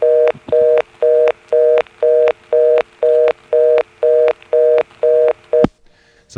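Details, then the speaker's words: March 1977 step-by-step exchange with modern tones, Washington NC (Carolina Telephone): dialing a blocked level steps to the 11th terminal, giving fast, even on-off reorder bursts about two per second; call can't complete. "so now let's call a blocked level every step has one you know you dial the digit and you hear the steps which go over to the 11th terminal reorder"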